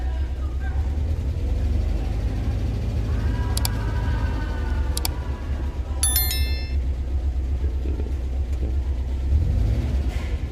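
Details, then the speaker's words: Suzuki Carry 1.0 after replacing the MOSFET in the TCI ignition module, with a protective diode added; it starts instantly, idles smoothly, then revs cleanly and evenly on throttle with no misfire or stumble; normal idle and revving. "Nah, ini kondisi masih belum ditekan gas ya, masih kondisi stasioner. Kita coba tarik gas."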